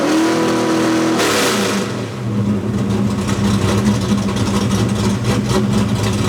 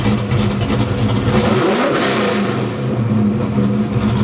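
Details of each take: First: Fox body Mustang V8 with stepper idle valve conversion during idle tuning: short rev, then revs come in high and settle to a steady lumpy idle without hunting or stalling. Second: Ford Fox Body V8 with stepper idle valve conversion, during idle tuning: revs then eases slowly down to idle; extra ignition timing in the idle drop region slows the descent.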